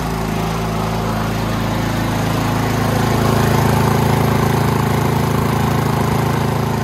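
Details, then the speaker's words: Toro Power Max 824OE snowblower after no-start fix and carb rebuild: fast even single-cylinder beat, dips briefly when auger load comes on around three seconds, then settles smooth; carb set lean for California emissions; runs well. "Furious she's a runner runs pretty well too there's a little bit of uh there was a little bit of hunting there a second when I turned on the uh the auger but that smoothed right out"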